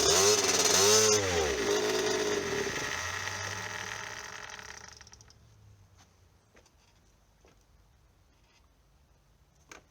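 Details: 1990 (caption says 1998) KTM 50 two-stroke pit bike, sparked and started once on carb cleaner, carburetor then cleaned: buzzy engine revs and wavers a few seconds, then sags and dies; won't stay running.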